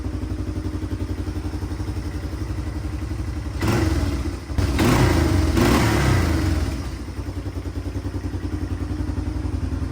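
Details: 1997 Yamaha Timberwolf 250 ATV after tune-up and battery reinstalled: even single-cylinder thump at steady idle with a brief blip, settling back smoothly; healthy idle.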